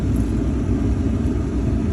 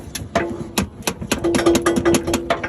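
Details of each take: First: Chevy Silverado (1999–2006) with an intermittent no-crank, no-click problem, after starter replacement: it starts quickly and strongly, and the V8 settles into a steady, even low rumble with no knocks, misses or grinding. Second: 1999–2006 Chevy Silverado with intermittent no-crank, no clicks; the starter is tapped from the passenger side. Sharp metal taps, then a brief starter whir as it cranks and the engine catches; the starter is failing and gets replaced.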